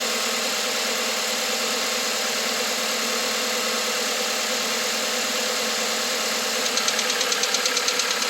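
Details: 2021 Volkswagen Atlas, 2.0 TSI EA888, 7,500 km, fresh VW 0W-30 oil, cold start: light, fast ticking over a busy idle that starts as the revs drop and sharpens at the end; source not pinned down.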